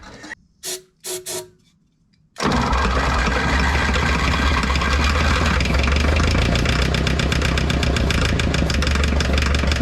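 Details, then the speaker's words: 1960 John Deere 1010 diesel tractor, long-sitting, injection pump re-flipped, started on starting fluid with injectors confirmed squirting: few cranking bursts then rough heavy uneven chug; owner suspects low compression, diesel not combusting. "boy that thing sounds bad I know the injectors are squirting I think I just don't have enough compression"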